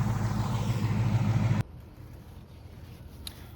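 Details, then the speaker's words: Mustang GT V8 just after a DIY oil change: deep, steady idle rumble with no ticking or knocking for about a second and a half; smooth running with fresh oil, normal idle. "When you hear it running really super sick and smooth like that, that's usually a pretty fresh set of oil right there."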